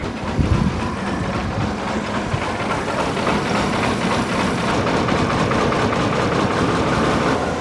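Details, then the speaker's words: 1994 Chevy Blazer with 4.3 V6, first start after sitting: lumpy, shaking idle like only two cylinders firing, improving toward three or four; misfire on several cylinders, rattle up front. "running on like two cylinders at idle oh and now maybe we got three oh maybe four seems to be getting a little better"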